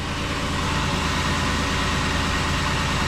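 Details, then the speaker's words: 2006 Ford Explorer V6 idling after battery terminal connector replacement: steady, even low idle with no knocks, misses or ticks; running smoothly and healthy. "like a kitten. Running like a sewing machine."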